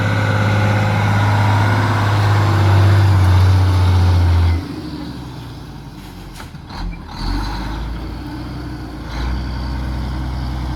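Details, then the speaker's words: Mack Superliner diesel after engine repair: deep, steady beat runs strong under throttle, then settles to an even idle, no knocks or misses. Sounds healthy. It once blew white smoke (fuel pump suspected) and blew black smoke here. "All right, guys, back together, running, sounds pretty good."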